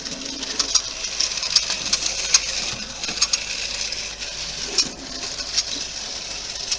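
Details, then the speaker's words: R238 GF 'Sketty Hall' model locomotive running on a rolling road: sharp, fairly regular intermittent high chirps over a soft motor hum; the squeak was isolated to dry armature bearings by lubricating one section at a time. "So I've been running this little Sketty Hall for a while, and you can distinctly hear that kind of chirping it's making every now and again."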